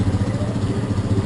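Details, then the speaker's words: Motorcycle (possibly a 135) after engine repair replacing the crankshaft bearing, with the camshaft bearing also replaced as a precaution: idles with an even, quick pulsing beat, the previous tec-tec knocking gone; healthy. "vamos testar a enviada para ele um redondo não tem mais aquele barulho tec tec tec"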